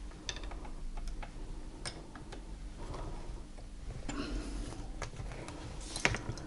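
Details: Quiet, uneven light ticking and clicking from the running head of a Podolsk (PMZ) Chaika sewing machine, model 142: worn connecting rod play knocking on its journal, also blamed for skipped zigzag stitches.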